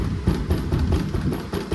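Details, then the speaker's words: 2018 Honda Civic, front wheel off: dull, irregular knocks as the loose brake caliper is rocked by hand; worn caliper slide pins let it rattle, and a shield bolt was also found loose. Car clinks over potholes; pins to be reset. "ये break caliper पिनें, इनको set करेंगे, इनकी set करके इनको लगाएंगे। ये दोनों break पिनें जो हैं इनको सेट करेंगे, ये खड़कता है।"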